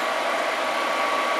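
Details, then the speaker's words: Atwood 7912-II 12,000 BTU 12 V RV propane furnace after re-soldering a burnt relay joint on the circuit board: fan starts, igniter clicks, then a steady even rushing roar with faint hum, no popping or surging; heat blowing out the back. "so the fan comes on and it clicks and the light in the minute you'll hear it ignite either that or i'm going to look stupid here it goes and you can hear it running and you can feel the heat coming out the back"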